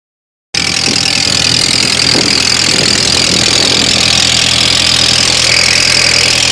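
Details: 2003 Audi A4 Quattro 1.8T on cold start: loud steady high-pitched hiss and whir with faint quick ticking, goes away after about 47 seconds; owner has no idea of the cause; unidentified noise.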